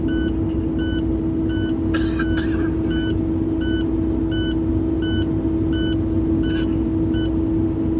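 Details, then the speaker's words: Truck low air pressure warning at startup: steady beep about every 0.75 s over diesel idle rumble, sounding until air passes 60 PSI; truck needs 120 PSI before moving, air not yet built up. "That's your low air pressure warning alarm. Anytime you start the truck, you hear this noise, this is beeping. That means you don't have enough air to move the truck."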